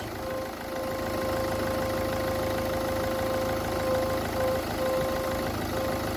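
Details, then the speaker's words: Ford Focus 1.6 at idle with a steady trumpet-like hum from the coolant expansion tank as pressure builds; owner suspects head gasket, unconfirmed. "Ford Focus strange noise coming from editing sounds like a trumpet possibly head gasket problem I've never seen this one before"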